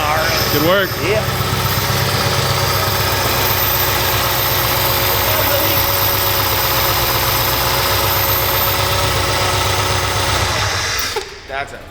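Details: 1200hp supercharged Hemi on first start with new Kooks exhaust and Holley fuel system: deep, even lope with steady blower noise before shutdown, no ticks or knocks; healthy idle, no leaks.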